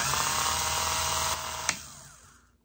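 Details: Elson-USA watchmaker's lathe, freshly rebuilt, spinning a 1/8-inch brass piece in a Jacob's chuck, top coming down toward the operator: light, steady spindle whir with no rhythmic rub or chatter before winding down; running smoothly and true.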